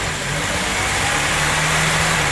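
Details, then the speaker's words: Honda Civic Type R EP3 with a K20 engine, warm after the fast cold idle has ended: high, uneven idle hunting between about 1,500 and 2,500 rpm because the idle air control valve is seized; hunting idle. "at the minute you go it's sort of idles between one and a half maybe a bit less two and a half but yeah we'll shut that up because uh can't be good for it"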